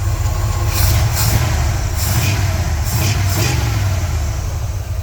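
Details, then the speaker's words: Old Ford F100 V8 truck, first start on very old stabilized fuel, idling smoothly on its own: steady rumble with short hissy high-pitched accessory belt squeals coming and going. "good old belt squeal that's what you [Music] like turns out if you r hard enough you can't hear the belt wheel over the sound of the engine those are always good problems to have"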